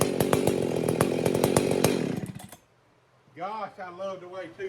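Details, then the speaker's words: Husqvarna 268XP chainsaw after a rebuild with ported cylinder and ported muffler, carb only slightly tuned, first test fire before cutting wood: crisp two-stroke rap with quick, even sharp pulses for two seconds before dying off; it fires and runs strong. "But we ported the cylinder, we ported out the muffler, and so yeah, it sounds pretty good."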